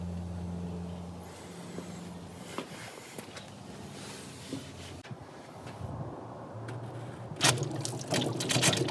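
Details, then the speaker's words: 1969 Volvo 164 running after sitting since 1994, during electrical work: a low engine hum with irregular watery gurgles and a loud sploosh; coolant gurgling, cause unclear. "i've never burped a baby before but i don't think it's supposed to sound like that"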